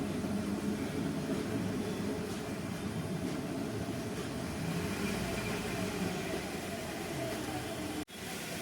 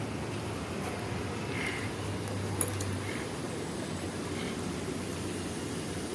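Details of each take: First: Hyundai i20 idling with clutch pressed: rough, gritty rattle on top of idle; broken clutch release bearing, replaced after removing the gearbox, which solved it. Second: Hyundai i20 after replacing broken clutch release bearing plus clutch plate and pressure plate: quiet steady idle with no squeal, chirp or grinding as the clutch is pressed; noise solved.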